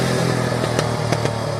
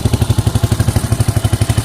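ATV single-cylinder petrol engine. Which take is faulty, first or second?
first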